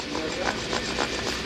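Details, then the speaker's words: Toyota Corolla hub removed, bearing turned by hand: gritty, rough rumble with clicks about four times a second; the hub bearing is worn out and is replaced. "that's bad so one of these bearings are like 256 dollars because it's a new car so they don't really have an aftermarket part but i have one sitting around"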